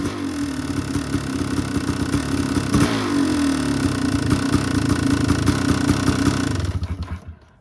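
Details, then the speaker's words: 2001 Kawasaki KX500 two-stroke, stock Keihin carburetor, first start after FMF-chart re-jetting, cold start without choke after prime cranks: catches into fast uneven crackle, revs swelling, then dies away. "the first time I started it on this jetting I'm not going to pull the choke these are just Prime cranks"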